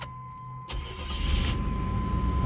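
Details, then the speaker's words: 1987 Chevrolet El Camino, 4.3 EFI with overdrive transmission, 161,117 miles: brief crank, then catches at once and settles into a smooth, even idle with no misses or knocks; normal start and idle. "starts good, runs good, horn works."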